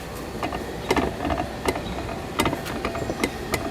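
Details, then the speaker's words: 1976 Mercury 1150 outboard lower unit, shaft turning after a Sierra water pump replacement. Sharp, irregular gear clicks and ticks come over a background hum. There is no up-down driveshaft play; clicking in the gearcase. "It's coming. It's very gear kick clicky, I guess you want to call it."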